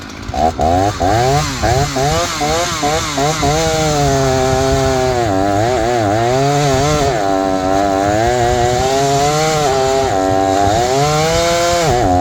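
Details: Repaired old Jonsered 630 chainsaw pulling a 30-inch bar with aggressive full-house chain in wood: revs dip under load and recover, pulls strongly; owner suspects clutch-side crankcase seal cut by hay-packed oiler.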